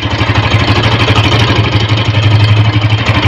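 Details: Honda motorcycle at idle: uneven metallic rattle, roughly three a second, riding on the firing beat; traced to a loose, broken magneto rotor.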